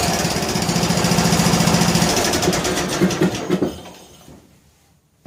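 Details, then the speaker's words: John Deere L100 lawn tractor on choke, weak recharging battery, after tightening loose intake and exhaust: quick, even single-cylinder putter holding steady, then winding down to a stop; running properly. "But it sounds pretty good. Sounds pretty good."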